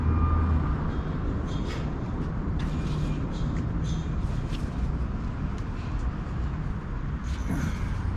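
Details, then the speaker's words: 2016 KTM 300 XC-W two-stroke after new starter install, choke off: brisk, steady low churn with no hesitation, turning over much quicker than before; healthy cranking. "let's see if it turns over any faster the choke is off we just want to see if it turns over a lot faster definitely turns over quicker"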